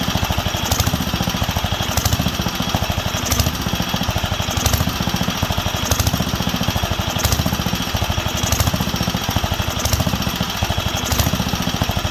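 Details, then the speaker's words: Wisconsin AENL barn-find engine on its first run in 20+ years, after restoring spark and cleaning the carb. Sharp pops rise and fall about every 1.3 s. Lean surge; owner wonders about the condenser but believes it is fuel starvation, as cutting fuel worsens it. "i don't know if it's just the condenser is going out and it's causing chaos or what but the way it's surging is fuel because when i cut the fuel it obviously doesn't like it"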